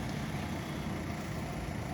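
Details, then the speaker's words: Ford Escort 1.6 CLX with AC, after long idle problem: coils, plugs and ignition leads replaced and idle control sensor wiring and socket repaired; after revving, idle returns and holds steady around 900 rpm, smooth even hum with no hunting; normal idle. "bakın gaz veriyorum Bu gördüğünüz gibi geliyor 900d sabitleniyor var Yani şimdilik Herhangi bir sıkıntı yok"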